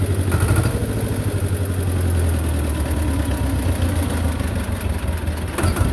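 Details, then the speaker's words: Belarus 250 tractor, 2-cylinder air-cooled diesel, sat for years; low idle after cleaning debris from lift pump poppets, steady even throb without fading or hunting; normal idle after repair. "but you can leave that at a kind of a low idle like this and don't forget got a foot throttle on"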